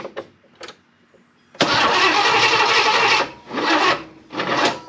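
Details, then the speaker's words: Chevrolet El Camino of unknown engine: brief starter attempts, then a long labored crank and two dragging bursts; the motor is very tight after first cranking fine. Weak battery is suspected, and the owner later blames bad timing and plans to find top dead center. "huh yeah you got uh that motor's tight as it can be I don't know what's wrong with but it's tight shouldn't be"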